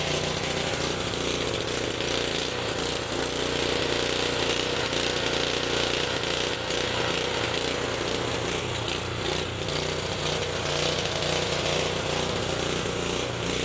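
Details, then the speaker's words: Honda HS520 four-stroke snowblower running on hand-primed fuel: rough uneven chattering beat, about two or three per second; the stripped throttle/choke linkage cap means it only runs when primed, surging, better on choke. "So yeah, that's why it won't start for anybody was it would only start when I primed it. That's exactly why you would throw it away. So really the inside of that black cap is basically stripped out."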